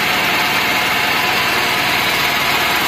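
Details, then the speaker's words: Daihatsu Gran Max minibus, K3DE 1.3 engine, noisy and lacking power, idling and limping in the morning: strong hissing, whispery noise at the front over an uneven low pulse; owner suspects valve clearance, unconfirmed. "pagi mesinnya pincang. Ada suara bisik kalau di depan."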